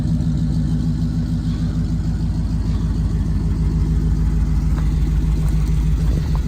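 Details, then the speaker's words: 1938/1939 Ford 2-door hot rod project, flathead V8, first start after years in inside storage, battery charged, converted to 12-volt: steady even low burble at idle, smooth loping beat, no knocks or ticks; normal idle. "the flat head sounds pretty cool"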